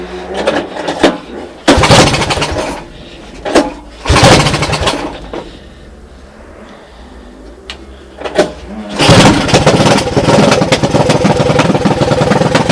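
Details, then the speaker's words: 1982 Honda ATC200 fitted by a previous owner with a Honda ATC 185cc engine, run on a portable CDI: a few short cranking bursts, then the single catches and settles into a steady, even putter; starts and runs fine. "So anyway, that's what it sounds like. Running under its own power. Well, under its own power with the portable CDI on it, right?"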